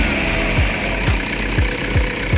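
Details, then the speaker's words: 2012 Toyota Innova after service with genuine Toyota parts: steady, even idle with no shake or irregular beat, partly under background music; engine now smooth, normal idle. "गाडीचं engine पण झालेलं आहे smooth एकदम. बघा हालत बी नाही अजिबात."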